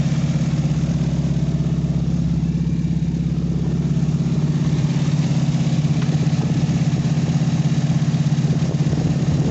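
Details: 1988 Chevy S10 idling while warming up after reassembly, cooling system just burped, O2 sensor unplugged: low, steady idle with even pulses about 200 a minute, smooth and unchanging; normal idle.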